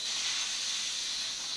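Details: Pressure cooker after about 20 minutes cooking dal, cooled with water: steady, sharp, high hiss as the weight is gently lifted and leftover steam escapes; normal steam release.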